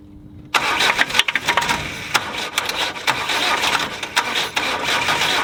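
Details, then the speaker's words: Land Rover 90 with a normally aspirated diesel, first start after 8 years sitting, in cold snowy weather after repeated attempts: it catches, then stumbles with uneven, lumpy firing and surging bursts and never settles. Rough running. "well that's it it sort of started ish a little bit i've had enough"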